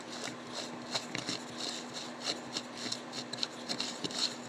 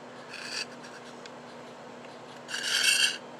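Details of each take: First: Western Auto Supply Revelation No. V1326 automatic fly reel, disassembled and cleaned, turned by hand without the line spool: light uneven ticking and soft rasp, no catching or binding; gears turn freely, though it stops turning once the spool is fitted. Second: Western Auto Revelation No. V1326 automatic fly reel, non-working, just reassembled and turned by hand: two short dry rasping scrapes, something rubbing inside where it shouldn't; a small internal part suspected, not confirmed.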